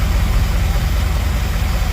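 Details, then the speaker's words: 1978 Dodge D200 big block 400 V8, 727 automatic, 100,000 miles, after reseal and firing order corrected: deep even idle with no missing beats, running on all 8 cylinders; tune still needs some adjustment. "Yeah, it's running on all 8. I have to mess with the tune a little bit."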